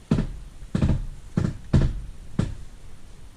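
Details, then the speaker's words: 2013 Dodge Dart, manual, 74,000 miles, after new front struts and spindles: five heavy dull clunks as the steering wheel turns, problem not fixed. Owner suspects the rack or a bent inner tie rod after a pothole or curb hit; unconfirmed. "I'm gonna turn the steering wheel to on. As you can hear, that did not fix the problem."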